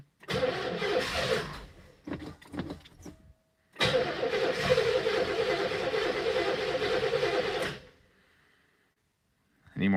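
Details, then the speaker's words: 1969 Oldsmobile Toronado, 455 engine, 56,000 original miles, first start in 30 years with fuel added to the carburetor: steady starter chug, brief catch, then dies; the choke popped open. "i ran for a millisecond see if we can do any more it's gonna get any throttle oops choke popped open wow"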